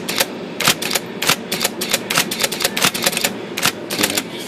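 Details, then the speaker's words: IBM Selectric II typewriter with rotary backspace, in both 10 and 12 pitch: quick uneven clatter of repeated backspace strokes, some dull and short where the carriage fails to move back. Backspace stalls intermittently and needs adjustment. "it's not all the time back spacing so you can see that it's not going back and that's in either pitch so 12 or 10 or 12 pitch"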